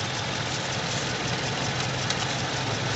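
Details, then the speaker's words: Toyota Innova VVT-i petrol, vibrating in neutral/reverse but stable in park: rough, uneven idle with low note; one cylinder misfiring, not working properly. "kasi may misfire e mayong isang silindro na hindi gumagana ng matino kaya ganyan yan"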